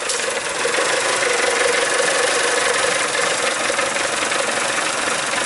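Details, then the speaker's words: 2003 Mazda Protege, rough running and stalling only at hot idle, heard at the tailpipe: ragged, uneven idle with a hissy exhaust note that keeps coughing and missing, engine shaking; misfire at idle. "You can definitely hear it. It's coughing and missing. Engine's doing the shake."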